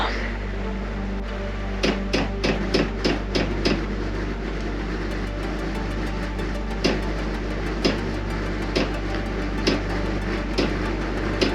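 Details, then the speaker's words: New Chinese diesel heater (Happybuy/Vevor) in a van, failed two days after install with error E-08; on restart at medium setting, the dosing pump ticks sharply and irregularly about three times a second over a low hum, with white smoke, not heating. "doesn't sound good though oh okay white smoke thank you it's not hot yet"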